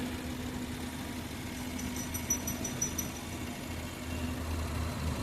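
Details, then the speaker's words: Maruti Eeco idling after fix of overvoltage ECM signal wire blowing ignition coils (ECM change); no ECM codes, warning light only from disconnected CNG: quiet even low-pitched idle, smooth firing, no misses or knocks; normal idle. "गाडीचं firing पण एकदम smooth झालेली आहे. गाडी jerking वगैरे काय नाही, एकदम प्रॉपर गाडी चालू झालेली आहे एक पहिल्या सेलमध्ये."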